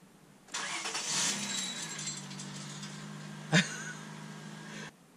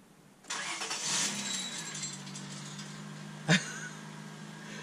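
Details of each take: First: 1998 Honda Accord 3.0 V6 automatic with modified exhaust: quick crank catches into a loud, raspy exhaust rumble settling to steady idle, one sharp pop midway; healthy start. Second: Honda Accord (fake NSX build) first start after an exhaust modification: engine catches with a crackly, rattly burst and a sharp clunk; broken catalytic converter pieces rattling back through the exhaust tubing toward the muffler.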